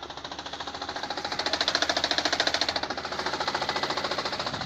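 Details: 2017 Lada Granta, 15,000 km, knock began when reversing with shaking and check engine light: fast regular light knocking about 3.5 per second from gearbox, disappears with clutch pressed though engine still shakes.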